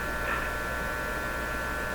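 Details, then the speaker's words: RCA Victor A23 tube radio with weak shortwave reception, during tube swapping (tube three substituted for tube one): constant low buzzy mains-frequency hum in the output, steady in pitch and level; cause suspected, not confirmed. "I'm gonna give this a that P percent chance of being the fix 50% that same buzzy hum I was talking about actually given odds on it making it worse probably cheese it's always surprising it's not"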